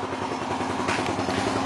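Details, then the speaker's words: Yamaha Jupiter Z1 (type 2SU/1DY) idling after cleaning and fitting the fuel filter: quiet, even idle with a soft steady patter, no misses, clatter or hunting; engine smooth, idle slightly higher, running well. "Wih, lebih jos, suaranya lebih jos, gas lebih tinggi sedikit, dan suara mesin halus, nggak ada hubungan sih."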